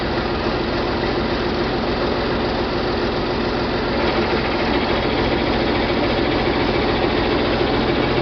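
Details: John Deere 4020 diesel tractor, first start after a split and clutch replacement, in park, about 1,000 rpm, oil pressure light out, slightly smoky: steady diesel clatter, even beat, no knocking while the hydraulics purge air; normal idle.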